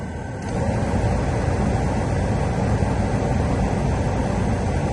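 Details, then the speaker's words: 1993-2002 Camaro/Firebird (WS6) HVAC blower motor just replaced with genuine GM unit (52495079) after high-pitch squeal/bearing noise; fan spins up to a steady even whoosh with no squeal or chirp — normal blower operation after repair. "Sorry, the video cut off there, but everything works works good. Just the normal kind of noise out of these things. But no more crazy squeal and good to go."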